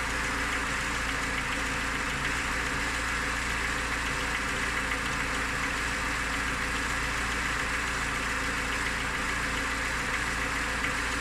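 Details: Lada Niva engine at idle: steady idle with a faint regular tapping over the engine note; owner asks what the knock is, source unclear.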